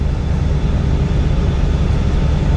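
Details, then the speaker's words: Fendt Ideal combine run test after welding repair, rotors and threshing engaged: deep, steady rumble, even with no knocking. "all right we're just doing a run test we actually have the rotors and everything going"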